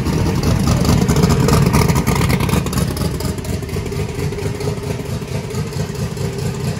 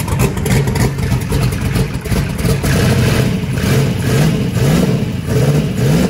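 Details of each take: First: Truck just converted from gasoline to methanol, first start with brake clean: loud V8 settles into a heavy, uneven lope with a slight sag; running rich at cold idle, the start tune needs work. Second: Chris's big V8 truck with belt-driven fuel pump, converted from gasoline to methanol: catches and fires, then quick throttle blips rising and falling cleanly; idled at about 4.7 air/fuel ratio, may be leaned out; runs fine.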